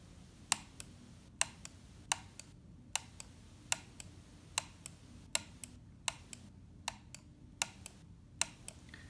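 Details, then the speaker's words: MX518 mouse: the left button's click sounds duller and muffled, as if hitting something on its way down, unlike the clear, crisp right button. "you can hear and see the noise from left pattern is as if he's hitting something on his way down the noise is different than to the right"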